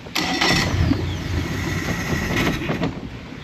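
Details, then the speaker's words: 2017 Mercury 90hp four-stroke Command Thrust outboard in guardian mode with 6-beep alarm: after a sensor swap cleared the code, it lopes, stumbles and hunts, sagging toward a stall. The fuel line or filter was wondered about. Finding: failing idle air control valve. "Alright, so I changed that sensor and it's saying it's clear now, but then it's still running rough. So I'm wondering about our fuel line or something, like filter maybe? I don't know, it's running really rough."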